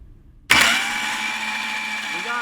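Engine spins over with a sudden, steady whirring crank and a clean, even rhythm; ignition is sparking properly on both cylinders.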